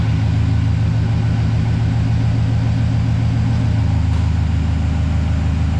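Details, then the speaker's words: High-mileage 2008 Silverado V8 that had a bad lifter tick, now idling deep and even with no lifter tick after an AMS Racing AFM/DOD delete kit and an oil flush with 10W-30, showing enough oil pressure. "So it's getting enough oil pressure. I don't hear any lifter tick or nothing like that for me to think that it's just low on oil."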